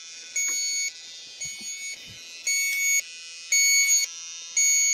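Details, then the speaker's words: 2017 Trane HVAC coil. Electronic refrigerant sniffer, after warming up, gives high shrill beeps about once a second at the tip. It confirms the refrigerant leak already pinpointed with an ultrasonic leak detector. "try my sniffer here show you what that registers got to warm up three sometimes I get a five out of it plug it in the right spot"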